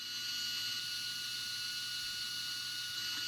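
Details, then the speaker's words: Sky-Watcher HEQ5 Pro mount after axis resistance and backlash tune-up, slewing 360° at rate 9 (fastest) checking for binding: steady high-pitched whine at constant pitch without catches or grinding; motors slew freely. "just take it all the way around 360 degrees and make sure there's no binding. So that seems really good."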